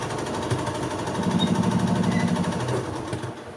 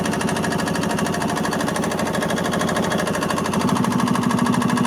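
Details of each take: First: 1986 Yamaha G1 gas two-stroke golf cart that shut down while driving; fuel smells like diesel. Starter spins it in an uneven chatter about three times a second but it never fires; clogged carburettor. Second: 1986 Yamaha G1 gas golf cart, two-stroke, after carb cleaning: a steady, even putter at fast idle with no stumbles. It had died while driving and then cranked without starting, with fuel smelling like diesel. Repair successful, clamps not yet refitted.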